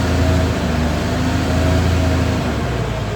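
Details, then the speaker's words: CAT 966G loader with freshly overhauled 3176 diesel, low power, runs rough with an uneven stumbling beat, misfiring, and the RPM won't climb quickly. "umakyat Ayan po siya palyado tingnan niyung RPM hindi siya aakyat ng mabilis"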